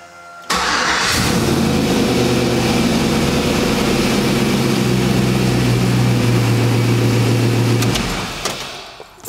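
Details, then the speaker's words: Poppa Bear truck after fuel pump priming, oil pressure good: starter whirr, quick catch, then smooth steady idle with even firing, no tapping or misses; goes into gear, runs and idles normally, though brake pedal is lost from a brake leak. "but it goes into gear it runs and it idles"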